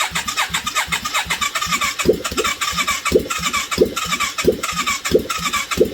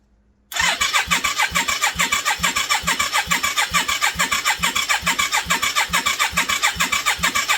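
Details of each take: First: 1989 Yamaha Virago 535 V-twin, first test start after 4 years parked, carbs fitted, no exhaust, on full choke with a bit of throttle: uneven open-pipe banging about ninety pops a minute, running rough but alive. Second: 1989 Yamaha Virago 535, parked four years, test-start with replacement carbs on full choke: steady fast cranking at about two compression beats a second, no firing or catching; it turns over but won't start.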